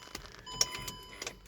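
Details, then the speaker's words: Land Rover Range Rover L322 with ignition key previously stuck, after drilling access hole and spraying WD-40 on ignition lock solenoid: sharp light clicks a few times in under two seconds; solenoid actuating normally, key now turns. "like you can you can hear the clicking noise there we go start remove"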